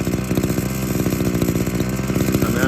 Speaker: I have to say I do actually enjoy the sound of two stroke idling I leave it's generally the idle for about 20 seconds there to warm up on the half